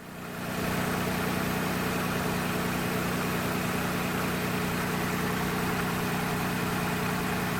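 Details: 1996 Nissan Maxima 3.0 after alternator replacement: steady, even idle with a smooth low hum and no knocks, squeals or whine; charging at 14.5 volts, dropping to 14.11 after a few minutes, alternator working normally.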